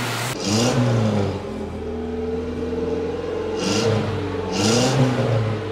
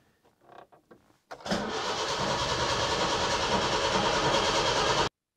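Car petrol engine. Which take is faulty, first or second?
second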